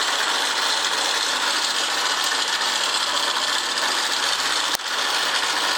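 Small single-cylinder running with a harsh, fast ratcheting clatter that stays steady throughout; abnormal mechanical noise from the engine, cause not pinned down.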